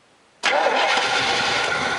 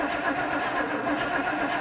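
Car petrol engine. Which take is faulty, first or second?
first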